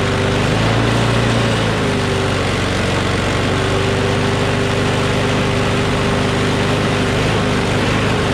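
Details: Craftsman push mower with a Briggs & Stratton Quantum engine, about 23°F, after easing spring tension: steady, even constant-pitch drone with no hunting or surging; slight vibration, owner suspects the blade is a little out of whack.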